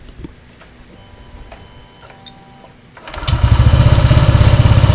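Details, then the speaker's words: Honda Vario 125 with a squeak in the CVT area after a faulty earlier repair with a wrongly fitted ring: run with the roller housing removed, it gives an even low idle with no squeak, so the noise comes from the CVT area. Rollers look intact; exact source still unclear. "suaranya hilang Pak ya PH Oke Eh ini jelas suaranya dari area CVT"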